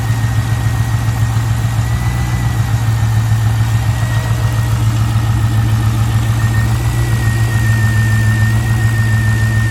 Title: C5 Corvette Rough Idle